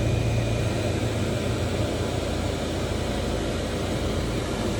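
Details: 2008 Pontiac G6 after replacing the clicking recirculation air door actuator (part 604-109): a steady, even blower hush from the dash with no clicking or tapping; recirculation door working normally.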